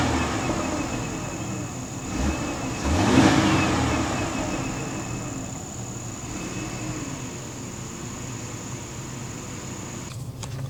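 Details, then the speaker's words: 2003 Ford Taurus SE 3.0 L, power steering pump has fluid but needs replacing: engine revs once and settles to idle with a thin steady high whine from the power steering pump. "needs to be replaced it's got fluid in it but it's it still will uh whine a lot from time to time uh steer is great though but that's not a big deal"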